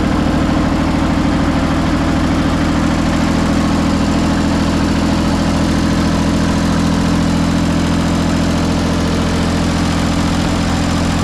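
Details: John Deere 355 just after water pump replacement, refilled with 50/50 coolant and air still in the system: a steady, even diesel chug at idle with a low hum and no knocks or squeals; normal idle.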